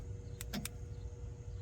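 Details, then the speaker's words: Cheap remote kill switch installed on a Dodge Challenger RT, toggled with the keychain remote: three quick crisp clicks in the quiet cabin as the relay switches cleanly. Normal relay click; with it off the car had no power, and with it on the car started. "I get the keychain out of the box and on. I can hear it click."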